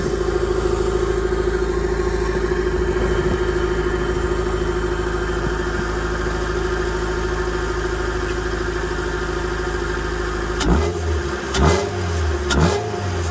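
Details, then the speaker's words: Honda D-series in EF Civic/CRX, MPFI swap with Skunk2 intake manifold, 70mm throttle body and new cold air intake, after cold start: steady even hum, no knocks, ticks or misses, a few handling thumps at end. Normal running. "Sounds good, everything's solid."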